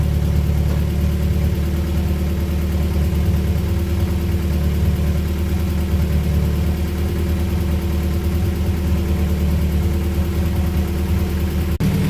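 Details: Honda Prelude that had been sitting, engine run with original harness, about 40 psi, no leaks or check-engine lights; smooth, even low rumble throughout with no knocks, ticks or misses; healthy idle.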